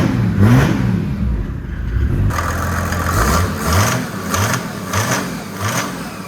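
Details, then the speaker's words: Datsun 240Z turbo diesel swap, after crash repairs and intake mods: clean repeated rev blips rising and falling evenly, no knocks or misses. Normal running. "And I'll let that run for a few seconds, and it should fire right up. Started right up. Right? Sounds good."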